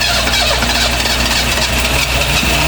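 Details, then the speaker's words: 1974 Vauxhall Magnum garage find, start attempt after 37 years sitting, on jump leads with a flat battery: loud ragged roar that catches only on fuel sprayed in the top, uneven and not settling; no fuel getting through on its own. "Help it along the top, got some more fuel in there."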